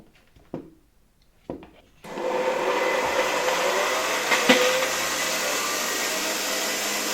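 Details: 1981 Rakieta 7M2 vacuum MD-010 motor, first run on reduced voltage through a regulator: quiet clicks, then a steady, even whir with a faint light rattle. The owner is unsure whether bearings or a spring make the noise; it runs smoothly.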